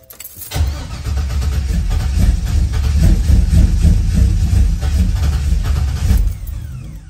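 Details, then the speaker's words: LS-swapped Nova with electronic controls, cold-started in a snow blizzard after not running for a while. The starter churns with rapid even pulses for about six seconds with no catch; owner says there's no gas in it. Finding: extended cranking, no start. "oh [ __ ] it ain't gonna crank about me ain't no gas in here"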